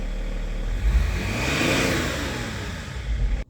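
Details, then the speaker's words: BMW E39 525d 163hp diesel after replacing the in-tank fuel pump (melted connector): revs rise cleanly to a smooth peak and fall back with no stumbling or hesitation. It sounds different than before; normal revving. "¿Te gusta cómo suena o no? Suena brutal. Suena diferente, ¿no?"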